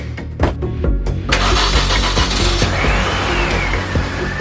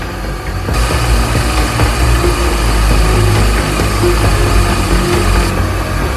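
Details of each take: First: 2004 Mini Cooper S R53, stored five years, after a smoke test for a suspected vacuum leak causing surging idle: starter cranks and the engine runs unevenly briefly, then settles into a steady smooth idle. Normal idle. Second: 2004 Mini Cooper S R53, re-run after its surging idle seemed cured, before buttoning up: rough, uneven idle with an irregular low rumble and scattered rattles. An unexpected new noise of unknown source.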